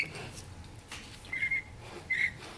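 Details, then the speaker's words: 4L80E overrun drum sprag freewheel turned by hand gives three brief, thin squeaks, the light squeal of a healthy one-way clutch; it locks immediately when spun back with little play, a normal sprag. "so they kind of make that little squealing sound and then they lock real nice there's not a lot of play in it when i spin back it immediately locks"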